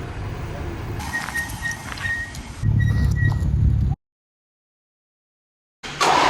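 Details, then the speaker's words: Tucker snow cat, first run after work to make it meter fuel, before tune-up and oil change: low, fairly even idle that drops out briefly, then picks back up and holds steady; normal idle. "well it runs it idles it meters fuel fantastic we still got to do a whole bunch of tuneup goodies to it"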